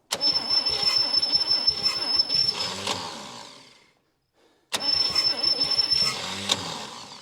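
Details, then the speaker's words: 1959 Chevy Biscayne 6-cylinder, once locked up after about 20 years stored, cranked with gasoline added, points on, a little throttle: two bursts of slow, uneven cranking at about three and a half turns a second, never catching. Owner suspects the starter is on its last leg. "God it's like it's it's almost there and the starter just craps out"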